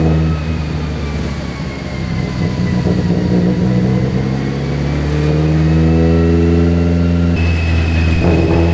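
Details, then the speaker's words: Black Z on a dyno with a newly installed MegaSquirt ECU and hastily made base map, first pull under load; the drone wavers and breaks up instead of climbing cleanly; rich at about 10:1 AFR, 212 made. "so it was bared in fuel and it was breaking up but uh 2 212 I think is still on the low side it just it's breaking up you could hear it and I have no idea why"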